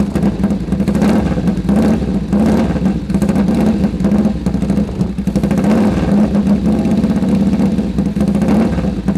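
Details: Sidecar motorcycle engine, first start after full rebuild: crisp idle with a steady firm beat and a few light throttle blips, pulling cleanly; runs healthy and sharp, normal idle.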